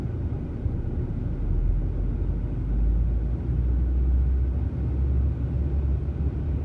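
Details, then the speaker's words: 2003 VW Passat 1.8T (AWM), fully warm after a test drive, no throttle: deep rumble swells and fades as idle oscillates; hunting idle, vacuum leak suspected, persisting after replacing a vacuum elbow and PCV check valve. "Fully warmed up, been on a test drive. It's not usually this rhythmic, but it is right now."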